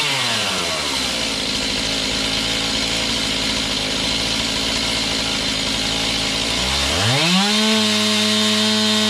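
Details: Serviced Stihl MS291 chainsaw cutting a roughly 12-inch log; its high, steady buzz holds through the cut, then rises cleanly as it frees up. Normal running under load; high/low carb adjustment may be tweaked later.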